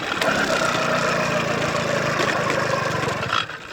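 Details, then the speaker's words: Motorized bicycle two-stroke, first start in over a year after a crash and a hydrolock with muddy water, using fuel older than the bike: it catches, buzzes unevenly for a few seconds, revs briefly, then sags and dies without idling. "man this thing just really does not want to start so it turns out the gas I was using is actually older than the bike itself and lost all [ __ ] flammability"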